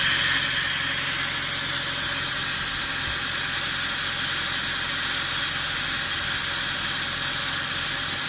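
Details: Mercedes W219 CLS63 with M156 engine at idle: steady idle with a fine metallic jingle (shara-shara) riding on top, even with engine speed; tensioner pulley has play, belt and pulley set to be replaced.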